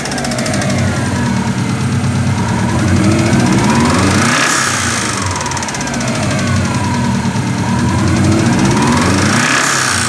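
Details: 2000 Subaru Forester EJ20 flat-four idling with a few blips, with a faint deep knock under the idle: early rod knock, probably from high oil temperature and poor oil quality.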